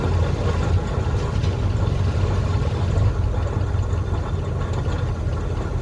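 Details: 1968 Chevrolet C-20 Custom Camper V8 running on an electric fuel pump direct to the carburetor, not yet at full temperature. Steady, even low rumble with no misses, knocks or ticks, idling smoothly and holding speed with good oil pressure.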